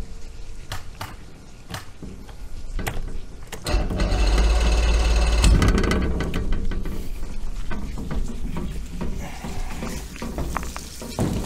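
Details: Force 120 hp two-stroke outboard, fed carburetors from bottom, first run on two-stroke fuel: low even burble, steady firing, swelling briefly with throttle; normal running.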